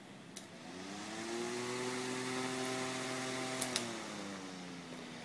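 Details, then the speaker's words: Fan motor powered by a 300 W pure sine wave inverter: spins up to a clean, steady whir and coasts down with no buzz or humming, smoother than wall power; normal fan running. "you can see now it's running on the pure sine wave and there's no humming perfectly smooth"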